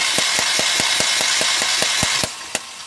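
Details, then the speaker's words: Mahindra Maxximo common-rail diesel with starting problem, injectors removed and tested in open after DRV on common rail replaced; sharp even ticks about 3.5 per second while cranking: normal injector spray. "Injector நல்லாவே spray ஆகுது."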